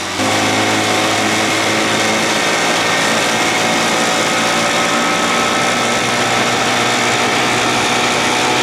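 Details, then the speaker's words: 1979 Evinrude 55 hp outboard with a high-rev-at-idle problem, run after reed valve inspection and a compression test of about 160–170: throttle drops and it settles into an even, steady, smooth idle without hunting, though the surge later returns. "boy she sounded good that's that sound i look for coming down off that throttle i hear that nice and smooth"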